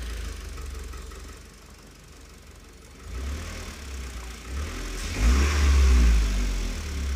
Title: Непонятный стук двигателя 4b11 (2)